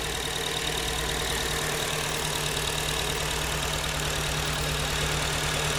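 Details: 2009 Acura TSX that broke down and was towed home; idle drone with uneven, lumpy pulse about three beats a second, one cylinder misfiring; owner suspects a bad injector, unconfirmed.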